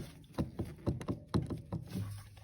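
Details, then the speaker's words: 2007 Mercedes ML320 CDI (W164), air box removed: rocking the steering shaft by hand gives about seven dull knocks in under three seconds, from play in the steering shaft and firewall bearing; both are to be replaced. "and you can also hear the noise from the bearing down"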